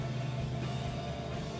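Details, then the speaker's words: One-door refrigerator not cooling, compressor replaced three months earlier, plugged in directly: steady low electrical hum with no running rhythm or pump pulses; compressor stuck, very high amperage draw. "I 've tried using a direct plug, sorry, this compressor is still high in amperage or stuck"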